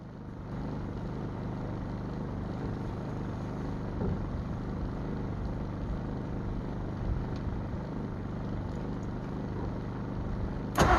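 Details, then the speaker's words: Abandoned 1948 Ford F5 bus, first run after sitting 25 years: low, steady idle with a soft, slightly uneven pulse, no knocking; carburetor needs rebuild, linkages and throttle linkage unhooked, needs tune-up. "It's running. All right, guys, that's running in my eyes. Of course, we're gonna need to do a tune-up on it, rebuild that carburetor, get the linkages and throttle linkage hooked up."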